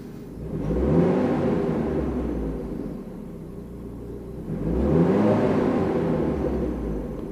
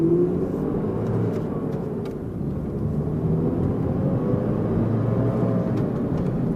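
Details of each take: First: Mercedes W202 after replacing worn engine mounts with salvage-yard ones, revved from idle for cabin-vibration check: two smooth rev-ups rising and falling cleanly, no knock or drone; vibration much reduced, though a jammed clutch release bearing also adds some. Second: Mercedes W202 driving under throttle after engine mount replacement: a deep, hollow exhaust drone from the burnt-out muffler over a steady whirring roar. The roar is from the viscous fan clutch, which the owner says needs oil topped up.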